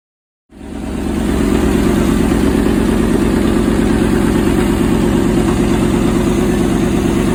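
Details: 1964 Chevy El Camino 283 V8, just got running on a stand in a shed with radiator hooked up, carburetor hesitation noted, before vacuum-gauge timing adjustment: engine catches and settles into a quick, even idle, steady low throb, no misses.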